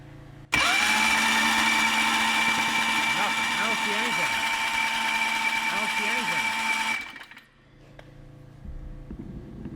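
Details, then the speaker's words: Built Predator 670cc engine on a mini dragster, fitted with new aftermarket ignition coils: steady starter whine with even cranking pulses for six seconds and no firing; zero spark, later traced to defective flywheel magnets losing magnetism. "so we have zero spark whatsoever I even grabbed a hold of the spark plug and I didn't feel anything"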